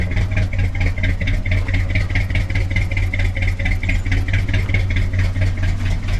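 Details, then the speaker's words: Wrecked 1974 Ford F100 parked for years, preliminary run before oil change: uneven, loping idle with top-end clatter, halfway idles; owner says it needs a severe tune-up, probably plugs, compression and valve train unknown. "All right, well, this thing runs, so that's good. Halfway idles. I know this thing needs a severe tune-up."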